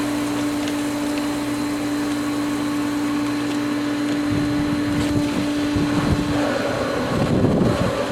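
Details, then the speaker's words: Pool pump at spring opening, winterized skimmer line valve cracked open letting in air: steady hum turns rough, churning and gurgling as the pump cavitates and loses prime; pump drawing air. "a lot more air the pump is cavitating looks like it lost Prime we'll give it a few seconds here"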